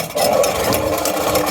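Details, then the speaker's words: BMW E36 in the rain with the exhaust removed: a loud, raspy, unmuffled idle with sharp blatting pulses; the engine is running with no exhaust fitted. "all right exhaust is off and now obviously it's gonna be stuck under the car"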